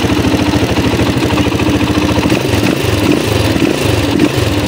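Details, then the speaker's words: Honda XR200 single idling with a busy metallic ticking rattle over its steady beat; timing chain and tensioner to be checked — timing chain rattle at idle. "Yan maingay. Marami na tayong video nito sa ating YouTube channel. So check rin natin yung kanyang timing chain."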